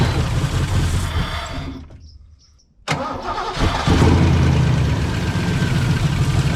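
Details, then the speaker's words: 1989 Ford Mustang GT 5.0 Fox Body started on a jump pack: rough, uneven idle that dies whenever throttle is applied, then catches again on restart. "As I try to give it any goomp, it just dies."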